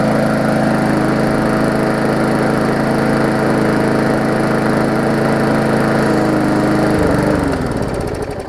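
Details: Murray 3.5hp Classic push mower after extensive service, first test run: steady, even single-cylinder putter at constant speed with no misses, then smooth wind-down at shutoff; smoke was just a little oil in the muffler; runs fine.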